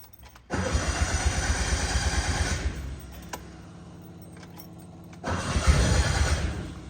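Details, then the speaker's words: Fuel-injected 1972 Honda N600 on its first start attempt after crank sensor gap detection was adjusted: steady cranking about three revs a second with one brief pop partway through, then more cranking without catching; no start, cause suspected, not confirmed. "ooh did you hear that that was a fire come on girl it just keep that crank sensor we fuel is getting dry"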